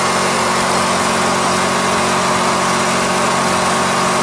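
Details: Coleman Powermate 8kW generator on propane, brushes replaced, speed raised to 3600 rpm for 60Hz, runs with a steady, even drone and light buzz. AC output stays low (about 110V under 1.5kW load); capacitor, diodes or windings suspected.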